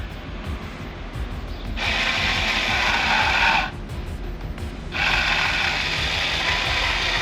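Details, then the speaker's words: 1983 Ford CL9000 cabover, cab on a stand off the frame and being powered up: a fast, uneven ratcheting buzz starts, drops out briefly, then returns steady; the power mirror motor works and moves the mirror. "what else what else motor miror yep it's trying it works no it's moving"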